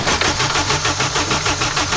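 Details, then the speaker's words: 678bhp turbo K20-swapped Toyota MR2: fast, even starter churn of about eight beats a second, never catching; it won't start because the fuel pump isn't running, with a wiring problem suspected. "Yeah so basically I was looking for a wiring problem um because I've got no fuel pump"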